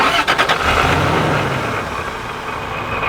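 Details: Toyota Tacoma fitted with a cheap supercharger, started after reattaching an old intake hose: a couple of quick blips, then a steady, even idle with no hunting or stumbling.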